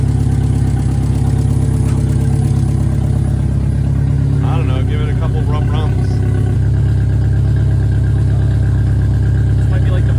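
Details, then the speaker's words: 1987 VW Mk2 Scirocco 16V with CIS injection, first drive after 20 years, no exhaust: loud open note that hunts and stumbles instead of holding steady; rough erratic idle, cause not found. "Um I'm not really sure what it's doing. It's kind of all over the place, so Well, is it has no exhaust, so No exhaust and no uh oxygen sensors?"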